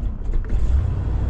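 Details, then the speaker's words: 1987 Class A motorhome engine, cold start, left to warm up: low, lumpy idle that surges and sags as if barely staying lit; rough cold idle. "come on stay running you little cold blooded there we go"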